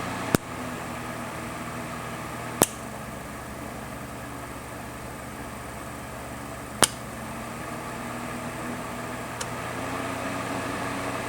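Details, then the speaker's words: Honeywell TurboForce HT900WMD fan after reassembly, motor and spindle bearing guides cleaned of dust that caused clicking and rattling: faint even hum, few isolated clicks, no rattle, quiet as new; normal fan running. "And there we go. Silent as the day it was purchased. It sounds just like it did whenever it was brand new."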